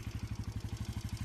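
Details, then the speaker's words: KUBA X BOSS single-cylinder motorcycle started without throttle, recorded from near and far: even, steady low thumping idle at about nine beats a second with no misses or knocks, running cleanly. "hiç gaz vermeden motorumuz çalıştı şöyle sesi dinleteyim size hem uzaktan hem yakından"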